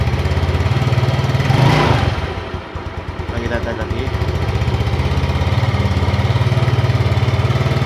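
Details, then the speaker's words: Yamaha Mio Sporty scooter after replacing worn front pulley roller housing, rollers and boss that caused a ticking CVT noise at low throttle: even idle putter and clean throttle rise and fall, no rattle; normal CVT operation. "Coba kita hidupkan kontak starter oke ya suaranya Udah nggak ada ya hilang ya"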